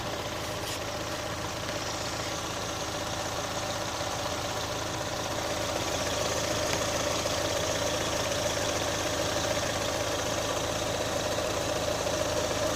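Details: 2018 Chevrolet Onix LT 1.0, bought under 3 months ago, quiet idle with faint fairly regular tapping about four per second; abnormal noise, owner links it to GM's quiet intake valve and lock replacement, unconfirmed.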